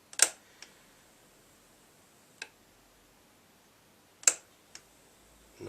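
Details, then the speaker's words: Bang & Olufsen Beocenter 2200 cassette deck on first power-up with an old tape after rewind worked: a few sharp isolated clicks in a quiet room, then no tape running; play will not engage. "it's not one thing to play the stronger the fastball which was stopped trap play again that doesn't want to play hmm but"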